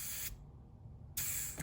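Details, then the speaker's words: Brand-new vacuum valve for a 1968–72 Corvette C3 pop-up headlight/wiper door system, tested by blowing through it: airtight until pressed, then two short airy hiss bursts as air flows freely; valve works normally. "Okay, see, so when I blow into that, as it's pressed, now the air's coming through the way it's supposed to be."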